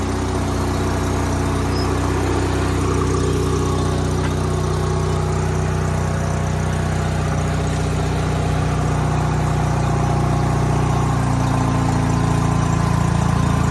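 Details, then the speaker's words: Sears GT 19.9 garden tractor engine, first start after sitting about 2 years: low, lumpy rumble with an uneven beat that picks up slightly as throttle is added, a little smoky; running rough, cause unclear. "Somebody's not very happy. She's not happy. A little more throttle."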